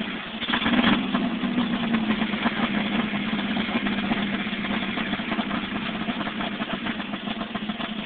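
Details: 1989 Honda Accord that died on the way to work, engine said to be blown: uneven, lumpy idle with irregular thumps and an unsteady beat; rough idle.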